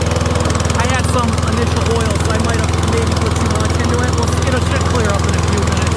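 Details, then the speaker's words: Troy-Bilt rear-wheel-drive mower with Briggs & Stratton engine, first pull after ultrasonic carburetor clean, cold on choke: fast, even firing with steady drone, no stumbles, pitch expected to change as it warms. Normal running on choke. "Can you hear the choke? It's engaged. As it warms up, we're leaking a little bit over here."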